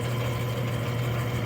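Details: Freshly rebuilt Clipper Super 47B grain cleaner: smooth low motor and fan hum, no knocks, rattles, growling or irregular noises; normal running.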